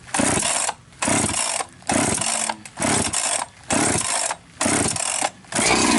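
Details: 371 chainsaw just rebuilt with new top end and new carburetor (compression up from 80 to 130–135) after sitting a long time; crisp full-rev blips about once a second dropping cleanly to idle; runs healthy.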